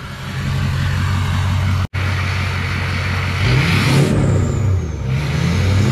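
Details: Ford 6.0 Powerstroke build with MBRP exhaust, S&B cold air intake and SCT Livewire tuner, before first test drive: deep, even diesel rumble with clean rev rises and smooth falls back to idle; engine sounds strong and healthy.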